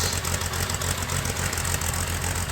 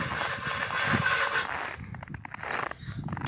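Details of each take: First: 1961 narrow gauge Bombardier, parked a month, cold start at -31 C on booster cables, catching on the third try: a busy, even engine patter with a steady low throb and no misses settles into a normal idle. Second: 1961 narrow-gauge Bombardier, parked over a month at -31 C, cold start on a boost from another vehicle: several seconds of sputtering cranking, then it catches and settles into a steady run on the third try; possibly flooded.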